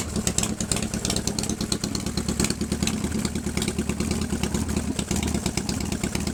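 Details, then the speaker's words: 1997 Harley-Davidson Fatboy Evo V-twin with a Mikuni carb and 70,000 miles, after a hard start from a dry fuel bowl after a month's sitting: cold fast idle, uneven and lumpy with some top-end clatter, running fine once fuel reached the carb. "on fast right now. This is still cold. Still cold."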